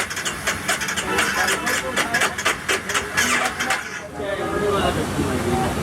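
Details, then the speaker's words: Honda CBR250R after radiator fan fix, radiator cleaning and coolant change: rapid, even clattering ticks for about four seconds while cranking, then stopping; starter one-way clutch suspected, not confirmed. "तो खटखट आवाज आ रही है। तो उसमें भी दिक्कत है क्या?"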